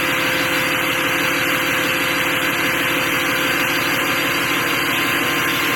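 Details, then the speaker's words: 5.9 diesel VGT swap: steady idle with even clatter and a constant high hiss; high-pitched exhaust squeal gone, runs normally. "Alright, I know you guys couldn't hear it, but there is no more squealing up here."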